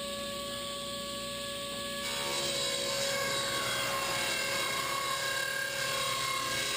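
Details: 8-tooth low-kick ripping blade on a table saw ripping generic 2x4s into 1-inch stickers; steady high whir jumping and roughening as it bites, fast even flutter of individual teeth striking, distinct whir: normal ripping cut.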